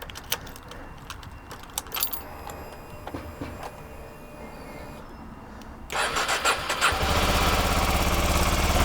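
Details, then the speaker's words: Kawasaki Ninja 125 after spark plug replacement: key clicks, starter catches and engine settles into even steady idle with no misses; healthy start. "Yep. All sounds good to me, all looks good to me."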